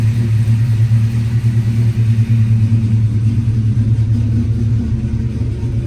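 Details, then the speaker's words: Started in neutral right after an oil change with 5 liters added; deep, smooth, steady idle rumble with no knocks, ticks or misses; sounds healthy. "I'm gonna quickly fire it up. Get the keys. Put neutral. Sounds pretty healthy right"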